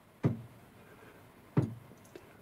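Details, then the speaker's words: Lathe cross slide pushed back and forth by hand: three sharp separate clunks, backlash play from a worn cross slide nut, to be measured with a dial indicator; cross slide backlash. "that play So we need to measure that to see exactly how much play there is"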